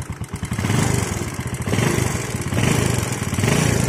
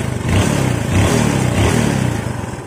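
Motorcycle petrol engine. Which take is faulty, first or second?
first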